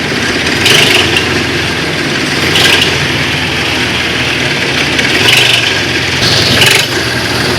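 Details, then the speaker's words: Engine idling with a recurring sharp chirping click every couple of seconds, heard when the car starts and moves. It comes from the accessory belt drive: a faulty belt, tensioner or one of two idlers on the drive for the compressor, alternator and water pump. "Viewers உங்க காரை நீங்க start பண்ணிட்டு move பண்ற டைம்ல மட்டும் கிளிச் கிளிச் கிளிச் ஒரு sound வருது"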